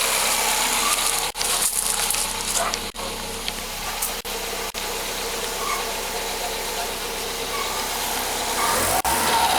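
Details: VW Gol G6 1.0, cold first start: a light, fast ticking of about three taps a second over the idle. The dealer diagnosed worn hydraulic lifters, opened the engine and replaced them.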